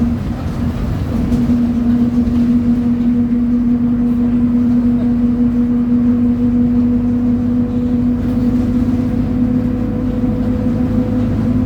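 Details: 2007 Torino bus on Mercedes-Benz OF 1722M diesel chassis, high revs under load: steady droning hum with constant tone over the engine; rear differential roaring.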